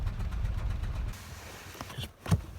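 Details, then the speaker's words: Citroën Xsara Picasso with low power and engine management light idles rough and lumpy with uneven low thumps, a very bad misfire; codes point to cylinder 4. "I mean, it's quite clear that we are having a very, very bad misfire."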